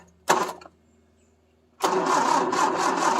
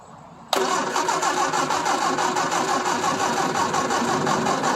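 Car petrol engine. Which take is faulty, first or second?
second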